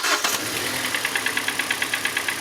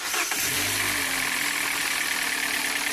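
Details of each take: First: 2014 Hyundai Elantra 4-cylinder with individual coils: lumpy, uneven chuffing at idle, about eight pulses a second with a stumbling beat, running on 2 or 3 of 4 cylinders; one cylinder had no spark from a failed ignition coil. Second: 2014 Hyundai Elantra with knocking engine, after fresh thicker oil and additives, first cold crank: quick catch, steady even idle, no knock heard; owner says knock appears mainly at idle.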